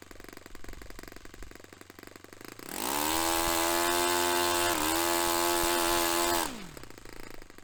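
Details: Restored Saito FA-45 Special on a test stand, 10% nitro fuel, original old glow plug, after carb tuning. It climbs from a low idle to a steady high buzz, holds it evenly, then settles back smoothly; normal running.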